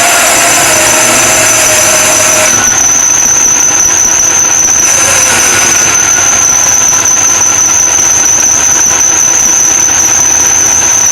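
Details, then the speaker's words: Supercharged LS1 Tonner at first startup on a cold ~7°C morning, untuned, idling: loud steady high-pitched accessory belt squeal over a grumpy idle; owner suspects belt alignment or idler pulley bearing. "A little belt squeak there. We'll have to look at that. It's not really tuned, but it still sounds super grumpy."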